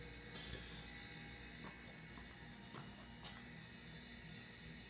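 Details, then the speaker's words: Homemade air compressor chiller built from a dehumidifier; compressor switched on, unit not yet fastened down: steady low hum with light irregular metallic rattles as it bounces around loose; normal compressor running, loose mounting rattle. "anybody could hear it pumping away and it's just bouncing away all on its own"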